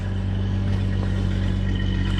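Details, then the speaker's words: 1989 Jeep Cherokee XJ, recently bought, just started: steady, even low rumble with no misses, knocks or ticks; smooth, healthy idle. "but pretty nice sounding jeep"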